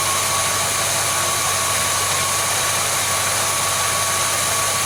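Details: Car idling with a mechanical oil pressure gauge hooked up showing about 44 psi, diagnosing an oil pressure warning light that never comes on: steady even idle hum, no knocks, ticks or misses; normal idle.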